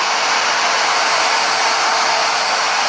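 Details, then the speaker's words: Handheld router standing upright, run for a noise comparison against a water-cooled CNC spindle: loud steady high whine and rushing hiss at constant pitch, running freely and healthy. "And I'm sure it's hard for you to hear me. It's hard for me to hear myself."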